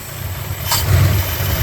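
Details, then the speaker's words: 1965 Plymouth Fury II 318 Poly V8: deep, slow, lumpy rumble with a slight swell partway through. Runs smoothly, but the idle speed sits low. "But yeah, it's idling pretty good, other than it being low."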